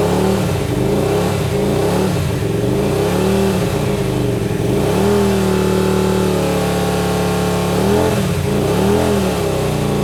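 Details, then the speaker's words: Hyosung GT125RC first start after two years standing, carbs ultrasonically cleaned: revs swell and sag unevenly, never settling, sounds like only one cylinder firing. "something's happening folks something is only one cylinder to me"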